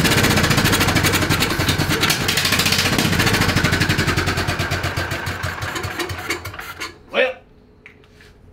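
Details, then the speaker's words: 1969 King Midget microcar, 12 hp single-cylinder Kohler engine, off the road 22 years: on starting fluid sprayed into the carburetor it catches and pops rapidly, then dies. No fuel is reaching it; the hardened fuel line and filter will be replaced. "so what we're going to do is shoot a little bit of starting fluid down the carburetor see if it hits and if it does replace the fuel line replace the fuel filter"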